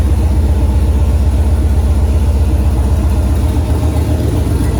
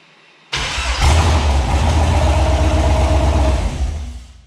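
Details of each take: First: 2008 Silverado prerunner trophy-truck build, V8 with newly installed Holley Terminator X Max ECU and Aeromotive 340 fuel pumps, after updated ECU file finally accepted: deep, steady, even idle rumble, no knocks or misses; runs healthy, ECU working. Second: 2008 Silverado prerunner with Holley Terminator X Max ECU, after firmware troubles: catches abruptly, runs lumpy about three seconds, then sags and stalls; cause unclear.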